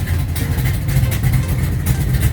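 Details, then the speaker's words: 1969 Charger V8 after chasing an upper-end noise traced to cylinder 7 (pushrod checked, straight) and reassembly: low, steady idle rumble with an even beat and no ticking or tapping; sounds healthy. "What's going on guys? Got it back together. Sounds good."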